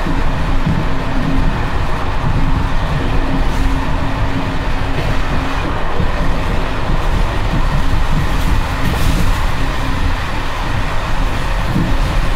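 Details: Evening express run on uneven Czech line 190 (České Budějovice–Plzeň), between Hluboká nad Vltavou and Číčenice, in coach Bd264 481 (built 1979), heard from the compartment. Loud continuous clatter and rumble under wheel beats as worn Görlitz V bogie brake rigging bounces.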